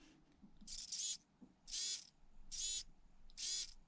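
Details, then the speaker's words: Small RC servo driven back and forth with the slider on a ToolKitRC MC8 tester: four short, smooth, even whirring bursts, showing the servo works fine. "you can see that servo it's working fine"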